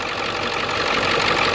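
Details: 2002 Ford Excursion 7.3 diesel 4x4 after replacing the seized pulley housing and frayed serpentine belt with new parts: even idle clatter with no knocks or squeals standing out; normal idle.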